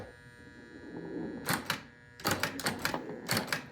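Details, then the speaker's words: 1950 Rockettes woodrail pinball machine in for restoration, tested with balls in play: sharp clacking bursts as each flipper snaps up and drops back, crisp and consistent with no buzzing or sticking. Flippers work normally, though scoring seems doubtful. "I don't know that any of these points are being scored. Flippers are working."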